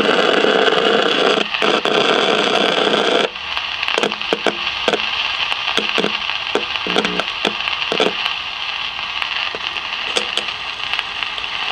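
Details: 1956 CBS 5-tube AM clock radio, not tuning stations, heard through signal tracer: loud hissing static with sharp crackles and pops swamping the set.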